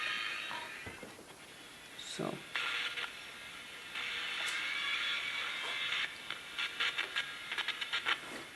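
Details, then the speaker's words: Mid-1960s General Electric transistor radio under repair: tinny audio keeps cutting in and out with abrupt dropouts and crackly bursts from a flaky connection; a bad speaker wire, to be replaced and resoldered. "these connections are really flaky so i'm gonna yeah that's the bad wire so i'm gonna replace that quickly"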